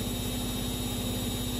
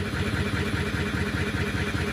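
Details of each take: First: Siemens Runner E14 3R washing machine spinning after its worn shock absorbers were replaced: a steady, even hum with no knocking or banging; the spin is smooth, quiet and normal. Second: Siemens Runner E14 3R washing machine before repair: steady heavy thumping at about 2.5 beats a second during the spin, the drum banging on worn shock absorbers, fixed by replacing them.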